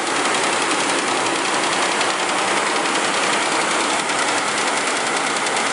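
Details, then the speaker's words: 2004 Mercury Mountaineer 4.6 V8 with new timing chain guides fitted earlier: warm idle slowing down, with a dense, alternating tinny clatter from the front of the engine. The chain is slapping the aluminum cover or valve cover, not a solid lifter tick. "That is coming from the front of the engine. It's the chain bouncing around, hitting either the aluminum cover or the top of the valve cover."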